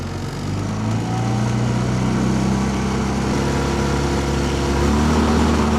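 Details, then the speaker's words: 15 HP four-stroke outboard after about five minutes at wide open throttle, fuel pump rewired with a 10 A fuse: steady drone broken by an uneven, stumbling beat; misfire at high RPM once warm; owner wonders about the coil. "It's starting to miss. But it was definitely starting to miss. And that was after about, I don't know, five minutes of running, wide open throttle."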